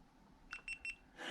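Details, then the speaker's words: GoPro Hero 8 mounted in a gimbal, power button pressed without removing it: three short high clear beeps in quick succession then a light rustle; camera powering on normally. "Now I turned it off, fine. But when I turn it on, I'm not sure what mode it's going to come up in. So what I do is, let me turn it on again."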